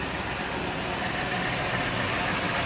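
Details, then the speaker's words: Truck with a used replacement engine (shop says about 50,000 miles) fitted after the old one hydrolocked: steady, even idle hum with no knocks, ticks or misses, normal idle. "yeah I like the engine the engine sounds really smooth it drives like all the engine sounds like it was like my truck was when it was really new you know"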